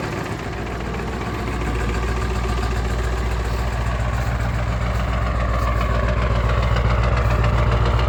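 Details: 1996 Ford 7.3 Powerstroke diesel, 292k, cold start at 18°F: rough heavy idle clatter about four knocks a second, smokes until warm, quiet and smooth warm. Owner suspects misfire or bad injectors; new injector o-rings and cups.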